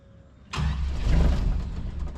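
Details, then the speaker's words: 1974 Chevy K5 Blazer full convertible, sitting 9+ months, new fuel lines fitted: starts on a squirt of prime fuel, runs rough with sagging speed for a couple of seconds, then stalls, starving for fuel. "If we can get it some fuel."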